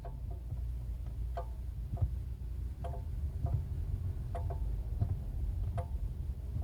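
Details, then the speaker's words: Chery Tiggo 7 Sport, brake pedal held with engine idling: sharp irregular clicks and light metallic taps, like a spoon banging a pan, over a low engine hum; long-standing problem, owner plans dealer visit. "Ele dá como se fosse uns estalos e como se tivesse alguma coisa batendo, como se fosse de uma panela e você tivesse batendo com a com a colher."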